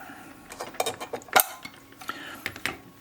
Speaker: As the film's advancing, you can hear the ratchet. That ratchet sound is a back anti-backup pull.